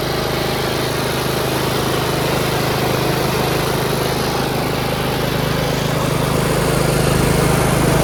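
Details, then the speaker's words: Yard Machines 38" riding mower, 13.5 HP Tecumseh, after fixing slow cranking and no-start: a single cylinder chugs evenly at a steady pace of about 220 beats a minute, with no misses or clatter. Normal running, charging at 13.5 volts. "oh come on thank you another tractor going and I got it for free"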